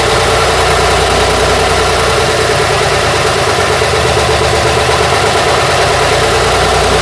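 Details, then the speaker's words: Routemaster bus RM1009's original AEC diesel just started via the toggle, idling; deep, steady clatter with an even beat, no knocks or misses, sounding very different from a Cummins; normal healthy diesel idle. "hey, there we go. Sounds very different from the Cummins engine."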